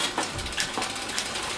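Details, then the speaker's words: Road bike rear derailleur after winding on cable tension: freewheel ticking with a few sharp clicks and no chatter or rubbing. Clean single shift once it goes quiet; further winding would bring noise back. "As we wind on some tension, up goes the shift. As soon as it goes quiet, like that, it's pretty much done."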